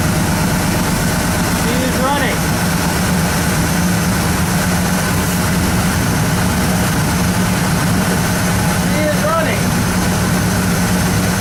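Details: 1972 Ford Custom V8 idling after a cold start, fuel freshly added: steady, even low idle with no misses, knocks or ticks; normal idle.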